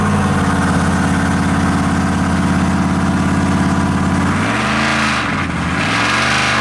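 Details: Mopar 451 cubic inch big block stroker (400 B block, cast iron motorhome heads, carbureted) dyno pull at high revs: loud steady drone falling away evenly, no misfire or stumble; earlier float/carb issue gone, more power; normal full-throttle pull.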